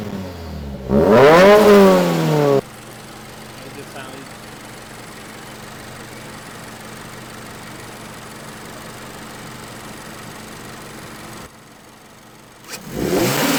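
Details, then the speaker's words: Turbocharged new-generation Subaru BRZ with catch can, cold start: quick blip climbs cleanly and falls back to a smooth steady idle, no knocks or rattles; not too loud when revved, healthy. "so so sound is not too loud when you rev it"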